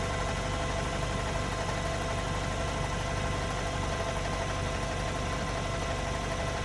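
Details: Mk7.5 Golf R cold start idle: rough, diesel-like knocking, roughly three taps a second, described as cam chatter with underlying diesel sounds; cause suspected, not confirmed.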